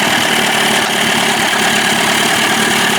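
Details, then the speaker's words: Johnson 25 hp two-stroke outboard after clearing a clogged slow-speed needle circuit without removing the carburetor: even, high buzzing idle holding steady with no lean sneezing or stumbling. "well I think that worked ladies and gentlemen thank God sounds good right"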